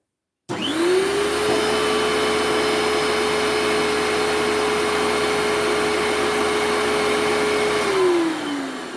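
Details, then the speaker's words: Hoover Turbopower 2 vacuum after a motor service with both motor bearings oiled: the motor spins up to a steady, even whine and winds down smoothly, with the brush roll turning freely and running healthy. "And as I said, all the fluff's cleaned itself off the brush roll. And that's sorted now."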